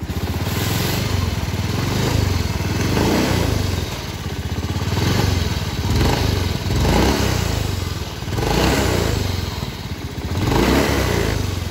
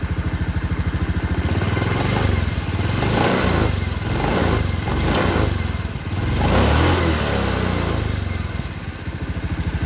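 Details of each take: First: Honda Beat FI scooter, throttle blipped: rhythmic dry "srak srak" scraping rattle over the engine that rises with revs, coming from a worn bearing in the CVT cover. CVT bearing noise. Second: Honda Beat F1 scooter after CVT cover reassembly to cure a "srak-srak" scraping noise: revved up and down several times, smooth drive with no scraping rattle from the belt cover; transmission quiet.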